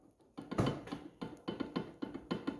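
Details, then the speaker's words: Renault Sandero with heavy front suspension knocking and no play at the ball joints, control arm or steering rack: dull hollow clunks about four a second as the front shock absorber rod, which has play, is pushed and pulled. "vão conseguir ver ó a folga na Ásia e esse aqui é o barulho do carro"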